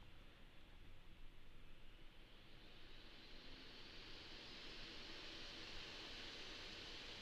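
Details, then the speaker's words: Alienware m15 R3 laptop fans spinning up to high speed: airy rush rising in pitch and loudness with only a faint slight whine on top; normal fan noise, nothing alarming. "if you can't hear it there's a slight whine in it but it's not again it's nothing to be alarmed about"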